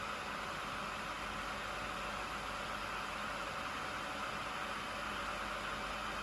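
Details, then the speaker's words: Traxxas Maxx ESC/motor cooling fan, replacement fan fitted after stock fans broke from a casing-gap design flaw: smooth, steady airy hiss with mid-pitched hum, no buzz or ticking, much quieter than stock; running cleanly, durability unproven. "so there as you can tell it's significantly quieter than the stock fans so as I say I will reserve judgment on whether they're going to be fit for purpose"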